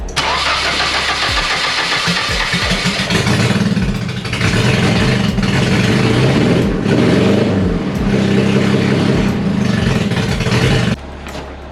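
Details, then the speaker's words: Nissan 240SX at first start after fuel filter replacement: the starter cranks, then the engine catches and runs with an uneven, stumbling beat, a lingering misfire; the plan is to pull the injectors and back-flush them if it persists. "So get this thing slapped in, fire it up, see if it works. If it's still misfiring a little bit, we'll pull the injectors and back flush them."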